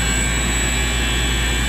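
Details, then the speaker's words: Big industrial commercial air compressor on a frequency drive, ramping speed with air demand, feeding an air dryer under refrigerant leak repair; loud steady drone, deep hum and thin high whine at constant speed, normal running. "It's on a frequency drive, so you could probably hear it ramp up and down. Now, as they need more air, obviously it'll ramp up and slow down based on the demand of air that they need."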